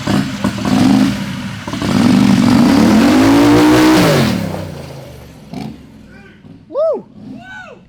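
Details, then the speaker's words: Turbocharged methanol Harbor Freight Predator 670cc V-twin dragster with new Polaris RZR CVT transmission: engine note climbs smoothly and hard for a couple of seconds then fades cleanly, no misses or rattles; healthy revving. "It sounds freaking awesome. It's a lawnmower engine."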